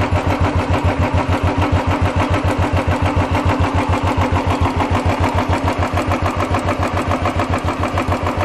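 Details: Royal Enfield Classic 350 UCE single after tappet-noise repair and reassembly of head and rocker arms; steady, even thump about 207 a minute with no ticking or rattle, a clean, healthy idle.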